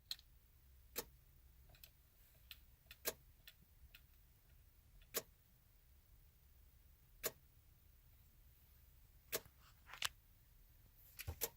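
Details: 2014 Chevy Silverado won't crank: faint sharp clicks at irregular one-to-two-second gaps in a quiet cab, with dashboard flicker and a dead radio; after about 10 to 15 minutes it starts fine once the radio works. Cause unknown.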